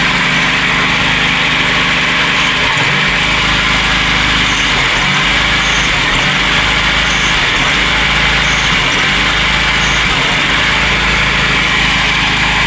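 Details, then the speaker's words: VW Polo Classic, cold start with new coolant temperature sensor fitted and MAP sensor plugged in after troubleshooting a fluctuating 1500–2000 rpm idle; carb cleaner being sprayed; steady even cold idle, no hunting, under loud spray hiss: normal cold idle. "But it's maintaining a steady idle cold start."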